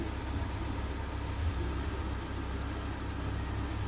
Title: suzuki motorcycle two cylinder misfire